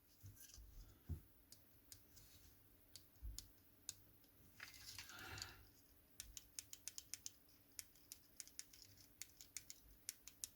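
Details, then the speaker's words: Nintendo Switch Joy-Con L shoulder button after a replacement part was fitted: crisp, light clicks in quick irregular runs in a quiet room, each press snapping cleanly and locking into place. The button clicks normally. "see that works absolutely fine you can hear it clicking this goes over it and it locks it into place"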